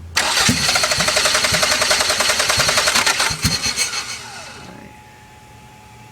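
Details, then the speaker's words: Toyota MR2 3S-GTE with no-start/idle issue: fires and runs choppy, then stutters and stalls regardless of input; stumbling and stalling after start. "that's about all I get out of her she will rev I've got her to idle for just like 30 seconds she'll get into boost she has made a little bit of boost but then she stutters trying to go back into it and she'll eventually just die out no matter what I do"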